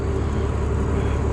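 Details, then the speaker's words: Combine harvesting beans on the first day of the 2022 harvest, with the concave opened slightly: a heavy, steady low drone under constant load as the threshing cylinder labours on stalks that are still moist and green. "And you can tell that there's still moisture in them stalks, so just by the way they're going into just by the way you can hear it going through the thrashing cylinder."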